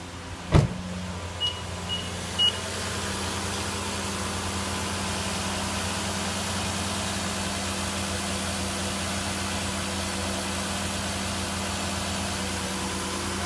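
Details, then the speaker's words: 2010 Nissan Murano Z51, 87,000 on the clock, just restarted after throttle body cleaning, cold: steady smooth fast idle around 1500 rpm with constant low hum, a couple of clicks at start, no stumbles; engine runs softly. "Двигатель работает мягенько."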